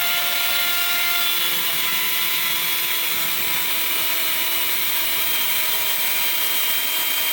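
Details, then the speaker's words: 3018 CNC upgraded brushed spindle motor, slowed down from 100% where it whined; even high whine with a few steady tones and no roughness or rattle at the reduced speed; normal spindle running. "that sounds a little better maybe I'll give this motor a little bit more of a try"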